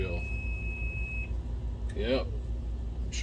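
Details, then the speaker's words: Optoma HD28DSE DLP projector at startup: two short warbling chirps about a second apart over a steady fan hum; the color wheel chirps because its index mark has come off, and the wheel is being replaced. "that color wheel's chirping all over the place though it's either the wheels bad or maybe the wire got bent or cracked"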